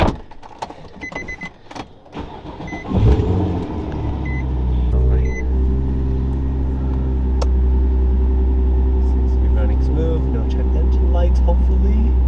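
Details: Nissan 350Z drift car after new MAF sensor install, checking for check-engine lights; cranks briefly, catches at once, settles into steady, even low idle with no stumble or miss; normal idle.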